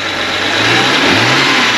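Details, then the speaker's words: BMW 335i N54 twin-turbo, diverter valve rerouted, before the barstool mod: quick free rev rising and falling smoothly, no whoosh or hiss on throttle lift; nothing audible from the turbo plumbing. "Alright, that's it. Turn it off. So basically you didn't hear anything."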